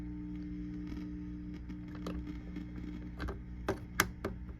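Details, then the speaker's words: 1965 Fender Deluxe (non-reverb) tube amp, channel one: low hum with irregular sharp crackles and pops, tubes swapped so not tube; suspected dirty pot; intermittent crackle from faulty pot. "All right, so we got a little intermittent chunk on channel one. I've swapped tubes, so it's not the tube itself."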